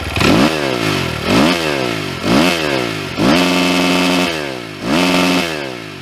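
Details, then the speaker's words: 2022 SSR SR300 dirt bike, single cylinder, after fuel-screw tuning: six quick, clean throttle blips each drop back to a steady idle; it now runs crisply and normally, though tuning may change once warm. "I'd say that sounds pretty damn good."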